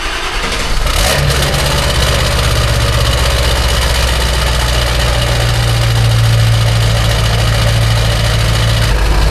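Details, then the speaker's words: Ford 7.3 Powerstroke with 175,000 miles and good glow plugs, cold start at 18°F: a brief crank, catches right away and settles into a steady, even diesel idle with no stumble. A normal, healthy cold start. "As expected, the old girl fired off just fine. It's a good accidental comparison. Good glow plugs, glow plugs."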